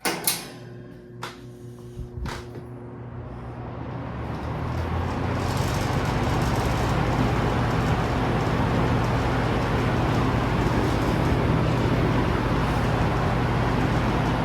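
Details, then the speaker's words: Vintage Toastmaster push-button roller fan on high, standing on an uneven old floor: a steady low hum with a light, even rattle once up to speed. Suspected to come from how it sits on the floor and a loose part; rattle persists slightly after tightening. "A little bit of a rattle, but that's probably just the way that it's sitting on the floor here. It's an old house and the floors aren't that even."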